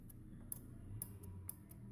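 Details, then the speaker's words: Energized LPG lockoff regulating tank pressure at 1 psi, checked for a truck no-start with excessive fuel: crisp light clicks about twice a second over a faint hiss; pressure stays at 1 psi, normal. "can hear the lock up clicking and the pressure does not go up Beyond one PSI okay"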